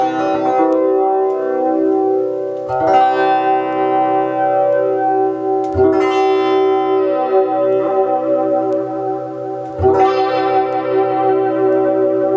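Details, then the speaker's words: Ibanez FL-9 flanger pedal after its swapped potentiometers were corrected: guitar chords ring through with a smooth sweeping whoosh that follows each knob (regen, delay time). The flanger now works properly. "Yeah, it sounds like regen. Okay, delay time. Sounds like delay time, something like that."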